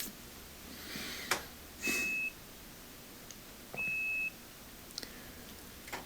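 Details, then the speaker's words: Duet washing machine after reseating loose pink controller connectors to fix intermittent door lock: two long high-pitched beeps a few seconds apart, an error flagging that power had been turned off; cancelled, then it worked. "So we're going to press cancel. It just gave us an error showing that the power had been turned off."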